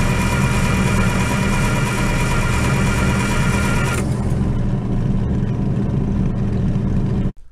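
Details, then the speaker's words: International UD-16 diesel power unit on a 1945 Chevy truck, cranked at length after injection pump repair to push fuel to the injectors; steady starter churning for several seconds without firing. "okay it takes quite a bit to crank it over to get the fuel to come from here up to here through all this and then up to these little pipes to the injectors"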